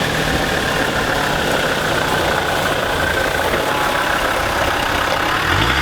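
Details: Land Rover Defender TD5 diesel idling after the belt tensioner was already changed: even idle with a thin, steady high squeal from the belt area; worn idler pulley bearing noise.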